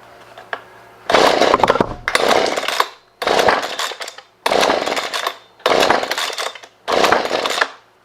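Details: Husqvarna 125B leaf blower in for a no-start: six rattling rope pulls, about a second each, with no firing, on full then half choke after 10 primer presses; plug later found soaking wet and compression feels good; cause not confirmed.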